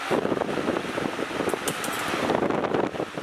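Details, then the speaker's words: NewAir WindPro18W wall-mount garage fan on a stand, with three speeds (low, medium, high). An even, steady airy whoosh with no ticking, rubbing or wobble; it runs smoothly and quietly. "It's not that loud, so it's not gonna get annoying as hell working in the garage all day listening to some loud ass fan that's making all this racket. It's actually pretty quiet,"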